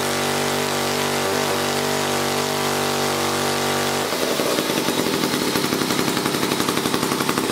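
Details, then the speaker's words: 1956 Eclipse Wasp chainsaw after reed block repair and carburetor fine-tuning: fires up and settles into a quick, even crackling two-stroke beat at steady speed; normal running. "so all was the read I fixed that read block put it back together and it ran I just had a fine tune in the carburettor so here let me start it up and show you"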